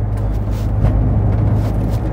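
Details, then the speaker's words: Smart ForTwo 450 test drive after replacing the failed nearside-front anti-roll bar link and lower arm bush, following a full front and rear suspension, springs and exhaust rebuild: steady road rumble, no knocks, clunks or bangs; normal suspension. "no bangs which is good what's it like to drive well different to what it always used to be like"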